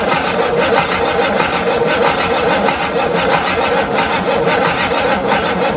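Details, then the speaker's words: Abandoned 1958 Super, first start attempt on a mystery engine with fuel poured into the line and bowl: steady starter churning under one beat a second with no catch or firing; no fuel, so the fuel pump is judged dead. "ah no fuel [Music] all right i need a fuel pump game over"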